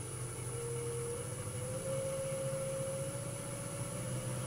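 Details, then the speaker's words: Wood lathe spinning a balanced blank at about 1000 rpm: smooth, even motor hum rising in pitch as it comes up to speed, no bouncing or thumping. "so we're about a thousand rpm here the lane's not bouncing so it's a nice balanced piece of wood"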